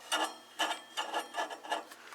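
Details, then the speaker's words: Valiant transmitter plate tuning capacitor with shaft turned back and forth: dry rasping scrape about twice a second as plates drag; rusty shaft to be cleaned with emery cloth and lubricated. "i'm gonna pull this shaft out and um see if that is what's making this noise"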